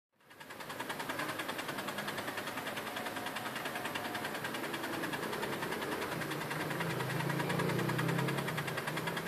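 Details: HP LaserJet M402dne running: a steady whirring drive with about three sharp clicks a second, from a dislodged tension spring caught in the Tray 2 paper pickup gear mechanism.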